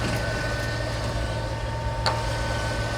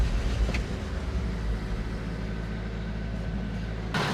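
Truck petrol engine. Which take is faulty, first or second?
second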